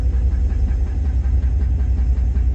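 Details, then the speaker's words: GMC single-cab pickup, picked up the same day, idling after a short drive: a steady low idle with a faint regular ticking/knocking on top. The owner suspects a lifter, unconfirmed; the engine later blew that day. "Okay. Oh yeah, that's a lifter."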